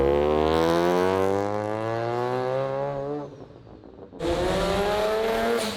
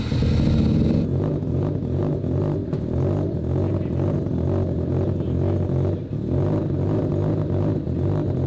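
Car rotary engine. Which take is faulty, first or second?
first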